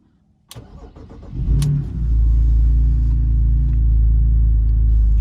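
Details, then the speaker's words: BMW Z4 Coupe N52 start right after replacing spark plugs and coil packs, before warm-up: brief crank, catches cleanly and settles to a smooth steady idle with no misfire stumble or ticking; normal start and idle. "Everything sounds good. Give it a second to warm up, and I'll get back to you guys in just a second."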